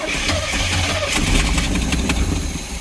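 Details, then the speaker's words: Old Pace Arrow motorhome engine starting while fuel is pumped through to prime the line; catches, stumbles and surges unevenly, tank pickup sucking air until the line primes. "that tank is sucking more air than anything"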